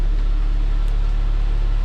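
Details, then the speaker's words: Saab 9-3 with about 32,000 miles, idling with the serpentine belt removed during an A/C compressor pulley bearing rebuild: smooth, low, even, very quiet idle hum with no ticks, squeals or whine; normal idle. "here is no serpentine belt connected right now and the car is just so quiet when there's no belt attached to all of that noise over there"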